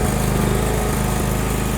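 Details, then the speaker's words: John Deere 170 riding mower with a weak starter, low on gas, started manually with lights on: short burst of steady small-engine idle with even firing and no misses or rattles; runs well. "But yeah, this old John Deere 170, man, I tell you, she runs, and she runs good, man. Just listen to it. Lights on. Yeah, buddy. She runs good."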